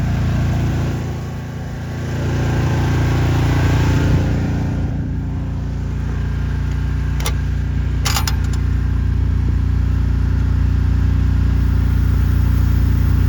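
Small engine runs steady and even with a firm low drone around 220 beats a minute, no misses or knocks; healthy running.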